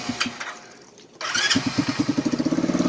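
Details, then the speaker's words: BD125-2 125cc Chinese cafe racer motorcycle (Jiangsu Baodiao) starting: a brief starter whirr, then the single cylinder catches at once and settles into an even, quick putter like a little lawnmower; a healthy start. "and it starts right up. Sounds like a little lawnmower, but it's not bad."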